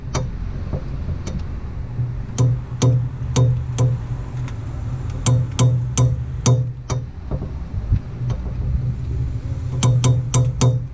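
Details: 2002 Ford Focus Mk1 estate driving: sharp clicks in quick runs of several, repeating in bursts over drive rumble with music behind. The cause is a bad CV axle joint.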